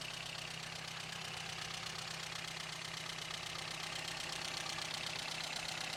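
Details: 1953 Sunbeam Alpine Mk 1, restored, microphone close to the engine in the engine bay: even, steady idle with light regular valve ticking, no deep knock or exhaust puffing. Normal healthy idle.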